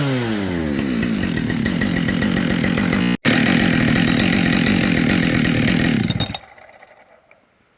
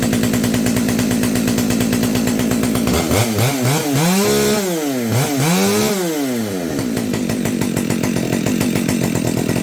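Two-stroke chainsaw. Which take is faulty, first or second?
first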